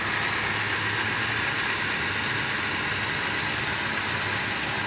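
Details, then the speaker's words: Toyota Avanza after an ignition coil replacement; before, it misfired strongly and made the engine vibrate. Now a steady, even idle with no stumble, and the check engine light is gone; normal. "Oh, hindi na siya pumapalya dati-rati. Malakas ang palya nito, guys, para nagbabibrate yung makina. Ito normal na."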